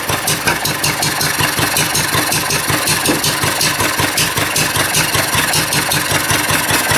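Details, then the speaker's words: Reassembled vintage Wolseley single-cylinder engine, adjusted at 15 thou, run without cooling water and getting hot: fairly steady chuff about two and a half beats per second, holding speed; running, though owner heard a possible knock. "There we go. Well, that's good. She's running, boys."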